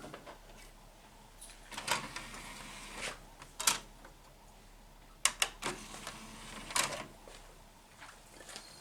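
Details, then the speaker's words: 2006 Sony DVD/VCR combo, tray opening and disc loading: sharp tray clicks, then brief whirring as the disc spins up, a little noisy, and seeks; normal DVD tray and disc spin-up on a unit needing only cleaning. "That's a good sign. It's spinning up. A little noisy, but it's spinning. That sounds like it's seeking."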